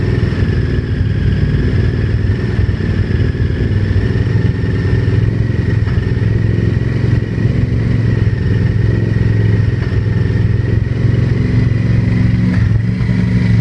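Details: Honda VTR1000 V-twin running with a rough clattering knock through the idle and small revs; source of the knock unclear.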